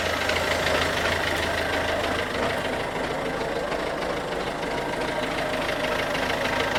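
Steady diesel idle with a hard, fairly regular clatter over the engine, about three taps a second, pointing to an abnormal knock.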